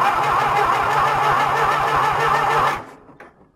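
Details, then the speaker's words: John Deere tractor, winter cold start with choke on, throttle full, battery charged, fuel primed and half-clogged fuel filter blown out: starter turns about four even compressions a second under three seconds, never fires; owner suspects it isn't taking fuel. "jeez not even a puff that's surprising me I don't think it's taking its fuel for whatever reason that tells me that's my problem"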